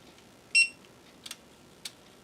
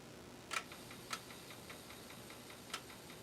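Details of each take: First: Amiga floppy drive after repair, including track 0 and stepper alignment: a short tone, then a few crisp single head-step clicks with quiet between them; the drive seeks and loads normally. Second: Amiga floppy drive (ZIF 500) not reading, test boot with Amiga Test Kit 1.6: sharp dry ticks at uneven half-second to one-second gaps over hiss; head keeps seeking without reading, head suspected stuck, not confirmed.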